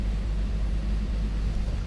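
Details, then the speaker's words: 1998 Jeep Cherokee XJ 4.0L inline-six idling after oil pressure sensor replacement: deep, even rumble with no knocks or ticks; oil pressure just under 3 bar (about 43 psi); healthy. "looks great the oil pressure is reading just under three bar and 1 bar is equal to 14 and a half psi so this is around 43 psi"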